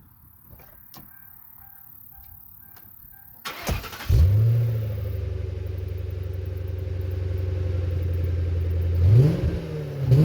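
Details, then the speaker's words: Crown Victoria (Panther) V8 with stock dual exhaust fitted with Magnaflow glasspacks and Speedmaster X-pipe replacing suitcase mufflers and H-pipe, stock resonators and tips kept; starts, settles to deep even burble, clean blips; moderate, not loud, nothing amiss. "Not very loud at all, but it's something, so I'm happy. I didn't really want it deafeningly loud."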